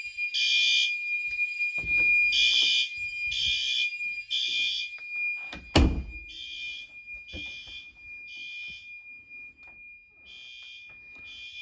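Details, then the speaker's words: Fire alarm system test: loud, shrill horn blasts repeat in short bursts about once a second; the horn strobe is sounding properly. "Yes, that's a horn strobe. You can see the grill. Wow, you can hear the strobe."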